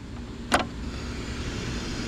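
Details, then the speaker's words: Heathkit IT-5283 signal tracer powered on with batteries reading 9.8 V unloaded: sharp switch-on click, then a soft, even speaker hiss that varies with the level control, with no hum or crackle; working normally. "getting the hiss from the speaker so that's a good sign and the his varies with the level control"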